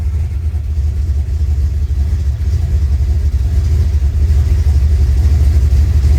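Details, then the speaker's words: Rebuilt 383 V8 reinstalled in the car, warm after about 15 minutes idling, good oil pressure: deep, even rumble swelling slightly when blipped, normal sewing-machine sound, earlier metal-on-metal tick gone; some exhaust leaks at V-band clamps; healthy warm idle. "the sewing machine sound which is normal but it doesn't have that metal on metal tick anymore like it did I let it come up to temperature everything's looking good"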